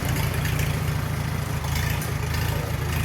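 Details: 1944 Farmall H with magneto, new plugs and wires and modified carburetor; cold engine, off a day, 50 degrees, hand-cranked; settles into steady, even low rumble at idle with no misses or knocks.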